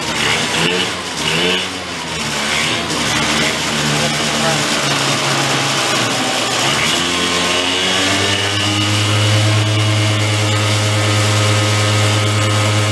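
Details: 2004 Yamaha Vino 50cc two-stroke scooter after years in a barn, air cleaner off: revs unevenly and stumbles before settling into a steadier buzz. Rough running; the owner suspects it is loaded with two-stroke oil and is revving to clear it.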